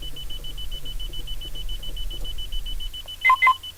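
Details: Car that won't start after only about five days; a fast, steady high beep repeats over a faint low hum with a few other tones, cause unknown.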